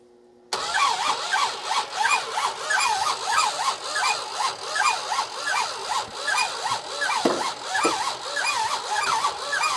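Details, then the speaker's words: Monaco barn find that sat for decades with next to no compression (rings suspected stuck, something spun suspected), starter working hard: slow, laboured cranking with uneven chugs, firing on only a few cylinders, great resistance, won't start. "just so close to kicking you know it's firing on a few cylinders but we get such weak compression so that's not helping but it just seems like there's so much resistance"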